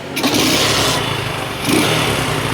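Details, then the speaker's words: Kawasaki Boxer 150 converted to a 4-pin CDI after the original CDI failed, pulser ground rewired; cold start on one kick, settling into an even, steady single-cylinder idle with no misses or knocks, stock-like. Normal cold start. "One kick lang siya no? Para din siyang stock mga boss. Stock din yung anar niya."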